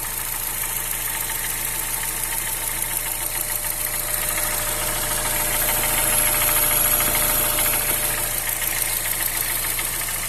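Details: 2007/2008 Honda Fit 1.5 VTEC CVT, no oil or coolant loss, Havoline 10W30: steady tec-tec ticking about three per second at idle, top-end tick of unknown cause; valves adjusted twice without change, not the AC compressor bearing; stops when hot, in gear or with AC on.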